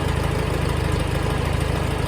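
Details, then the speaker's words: 1954 Farmall Super C tractor after fitting an eBay 6-volt starter and improved battery connection: starter cranks quickly, engine catches and settles into a steady, even low putter at idle with regular firing, no misses or knocks; normal idle. "Oh, that's beautiful. That starter went quick."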